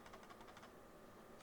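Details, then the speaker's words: SteelSeries Sensei 310 gaming mouse shaken: quick clusters of quiet ticking clicks, still heard while holding the wheel, so a loose part inside rather than the wheel; the "sensor rattle" many users complain about, mouse not opened. "Another thing that I found about this mouse that many users complain about was the sensor rattle. And I'm not sure if it's the sensor or the wheel itself, but here, I'll show you."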